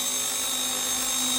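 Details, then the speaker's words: RC ERA C190 Airbus H145 RC helicopter hovering before repair: steady high gear whine with a rough, raspy edge, erratic and unstable flight from heavy vibration that also upsets the gyro; damaged main gear. "You hear that? Very erratic. Lots of vibrations to the point that it's not staying stable."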